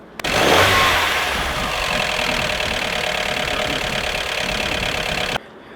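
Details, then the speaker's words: Mazda Miata petrol engine revved with the hood open, giving a distinct metallic rattle from the top of the engine. It appeared after hard engine braking on a steep decline stressed the belt and a check engine light came on. "I started revving the car and I noticed a new sound I have a very distinct metallic rattle coming from the top of the car when I rev it"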